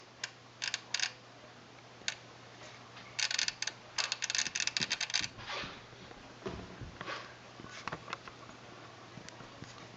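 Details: Sony STR-DA555es receiver, an old unit, suddenly started while watching TV: bursts of rapid sharp clicking chatter, then single ticks, over a faint hum; clicking/chattering, cause not yet known.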